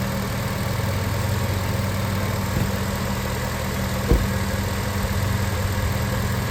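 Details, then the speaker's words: 2006 Acura TSX on a cold day, wheel turned several times after replacing power steering inlet and outlet hose O-rings: smooth steady idle, no whine; fluid no longer bubbling, power steering noise fixed. "I don't know if you can hear it through the video, but I don't hear any more sound."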